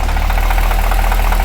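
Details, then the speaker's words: Project car freshly rebuilt, first run, idling low at about 550 rpm: deep even rumble with quick light ticking from the top end/valvetrain; owner unsure if normal valve train noise, cause not pinned down. "There's still a top end noise going on that I'm not thrilled with. That's definitely top end sounding."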